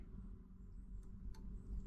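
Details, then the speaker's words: Marantz 6100 turntable after fixing the popping noise: low, quiet speaker rumble with only two faint ticks as the motor engages and clicks off at runout; no pop, grounding connector hooked up. "No pop there. That's nice. Let's take it into the runout. Go back. And there's the motor clicked off. No pop."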